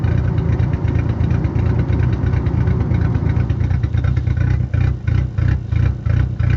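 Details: 10-valve engine idling lumpy and uneven, the beat stumbling and dropping out every few pulses: a misfire causing a rough idle.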